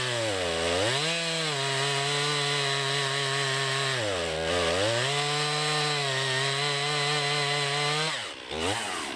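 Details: 2020 Stihl MS261, non-M-Tronic carbureted, 20-inch bar, cutting a freshly felled green pine about 1.5 ft round with a straight cut and plunge cut: high steady scream sags as the chain bites and recovers quickly; rips through the soft pine, normal cutting under load.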